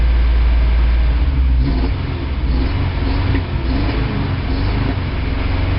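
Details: 1987 Toyota 4Runner, high-mileage reman engine, cold start first thing in the morning, clutch in, throttle blips: lumpy, uneven idle with stumbling beats, missing on cylinders after 3 minutes. Cause: cheap head gasket leaked coolant, cracking the aftermarket head and fouling plugs.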